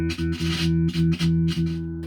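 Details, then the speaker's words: Toby six guitar played: notes drop out and snap back several times in two seconds, not a scratchy pot; failing potentiometer or cold solder joint cutting the signal, likely disturbed during a battery change; pot to be replaced. "that's not a scratchy pot you know that is that's a pot going bad or a cold solder you hear going in and out that's not the pot"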